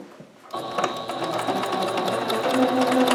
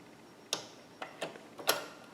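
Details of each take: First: Singer Ingenuity sewing machine after repair of a jam (needle clicking, not sewing, thread caught on hook) by adjusting hook/bobbin timing: fast, even needle clatter, about two stitches a second, no catching or knocking; pattern pretty even, sewing cleanly. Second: Singer Ingenuity sewing machine: sharp, uneven clicks, about four in two seconds, and it is not sewing. The needle is out of alignment with the hook because the bobbin/hook timing is out of sync.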